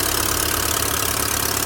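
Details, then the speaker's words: Chevrolet GM car at idle: fast, even puffing tick over the idle keeping time with the engine, like compression leaking from engine to exhaust; owner first suspected spark plug, now suspects broken catalytic converter or exhaust gasket. "Meu carro ele tá com esse barulho parecendo que tá vazando compressão. Tá vendo? Estão ouvindo aí, né? Compressão do escapamento, né?"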